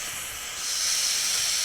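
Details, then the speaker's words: VEVOR 5-ton pneumatic air jack, new and stiff, not broken in: pulling the pressure relief valve while lowering gives a steady high airy hiss that swells slightly and holds even; jack drops a little faster, slightly wonky, normal relief venting. "yeah if we pull the pressure relief it drops a little faster you know it comes down a little wonky"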